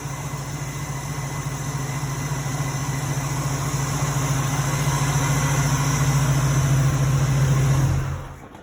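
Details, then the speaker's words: 1986 Oldsmobile Cutlass 442 at its first start after replacing the AC belt and re-tensioning all belts: smooth, even engine note rises gently, then a clean shutoff with no belt squeal or slap. "And let's start it up. See if anything crazy happens. Seems okay."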